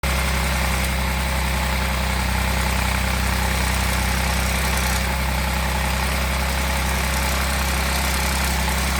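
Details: Audi 3.0 TFSI engine at idle: steady deep idle with a loose, uneven patter of about four beats a second on top; abnormal extra noise, source not identified.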